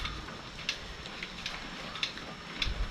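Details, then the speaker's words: Wall clock with newly replaced quartz movement, battery just installed; sharp light even ticks over room noise, kept correct time afterward; normal quartz clock ticking. "It goes this way. I hear it ticking. I hear it ticking."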